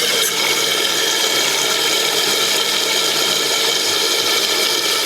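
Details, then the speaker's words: Newly replaced toilet fill valve refilling after the float-tension knob was turned clockwise to raise the water level toward the fill line; still slightly short, so it is tightened more. A steady, even hiss of water through the open valve. Normal tank refill. "we want to make sure it's going to fill up to the line. And our line is about right here, and I hit it so it's not quite there yet, so I'm going to tighten it a little bit more."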